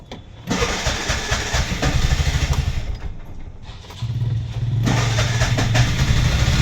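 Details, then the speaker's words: Auto gas engine with starting trouble; plug adapter replaced, spray applied to wiring fuses, engine won't hold idle. Several uneven cranking bursts before it catches, then lumpy low idle wavering toward stalling, cause unclear. "Guys, ನೋಡಿ ಗಾಡಿ ಇದು starting trouble ಆಗ್ತೈತೆ."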